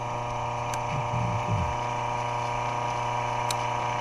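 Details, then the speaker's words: Repaired three-face tower clock mechanism, removed from its 25-foot tower, motor powered driving the cross shafts: a steady motor hum with a single crisp click every few seconds as the spring-loaded catch, previously worn out, rides over the cam block; normal running. "And you can hear it riding over this cam low block. Anyway, that was completely worn out, and I can see why. He just sits there and runs continuously, and he clicks."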